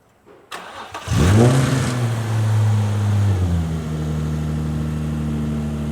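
Cranks, catches cleanly, flares up and settles into a smooth even idle with no belt squeal; a healthy start.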